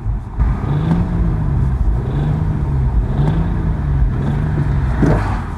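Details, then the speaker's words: BMW M135i bought at auction, revved in neutral: rises and falls with a faint metallic rattle around 3,000 rpm only, pulls well; owner suspects an injector or the timing chain, unconfirmed. "that doesn't sound very good does it I wonder if that could be an injector I really hope it's something simple like an injector because it pulls really well it doesn't rattle at any other time other than around about 3,000 RPM could be chain"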